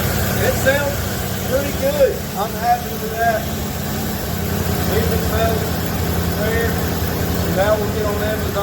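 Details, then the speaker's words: 1977 Ford F250 4x4 barn-find V8 running after a new fuel pump on an old used 2100 carburetor. Smooth, steady low idle with an even rumble and no stumbles, taps or knocks; normal idle. "all right you see the runners is running good the next thing we want to do is get this body off"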